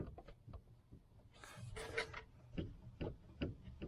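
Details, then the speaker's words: 1991 Range Rover: dull clunks every half second or so as the steering wheel is turned, from the worn lower flexi joint of the steering intermediate shaft after the top joint was replaced. "That's in this joint down here. That's the flexi joint that goes into the other end. Now that is fucked."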